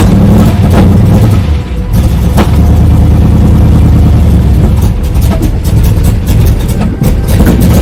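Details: 1995 Chevrolet Camaro Z28 LT1 V8 revving: loud engine with uneven, stumbling beat and dips in pull as revs rise; misfire and bogging, cause unknown.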